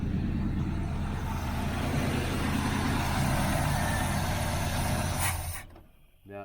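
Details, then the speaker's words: 1981 Camaro Z28 with a new dual exhaust and a newly installed electric fuel pump that isn't pumping. The engine runs steady and loud, then fades and cuts out within a second. Stalling from fuel starvation. "Uh anyway, I can't get this pump. I put the pump on here, but it's not pumping."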